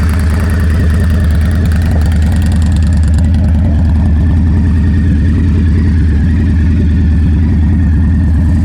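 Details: Indian Scout Bobber after installing Freedom Performance Combat 2-into-1 exhaust: deep, loose-loping V-twin idle with strong low exhaust rumble, steady and even; healthy normal idle.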